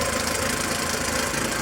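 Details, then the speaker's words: JAC J6 2.0 16V at idle and revving: busy, chattering rattle over the engine note from the timing belt area; belt seen jumping, tensioner/idler bearings probably worn; timing belt area noise. "vou dar uma acelerada aqui para você ver ó ó a região barulho bem chato você está ouvindo vídeo aí mas é bem chata e aparenta estou aqui na correia dentada tá provavelmente os rolamentos aí já foram"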